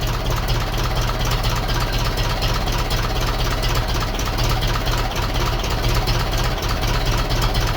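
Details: 1951 Ferguson tractor just started after thermostat housing replacement, throttle linkage being adjusted: steady low chugging idle at an even pace, no knocks, misses or rattles; healthy and not leaking.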